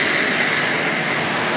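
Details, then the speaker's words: Hornby Triang Dock Shunter model locomotive "red 3" pulling a rake of tanker wagons, many with needle roller bearings: a steady, smooth high whirr with an even hum and no stutter or strain. Pulls cleanly, no trouble. "Yeah, no trouble at all for us to pull those. Yeah, absolutely no problem whatsoever."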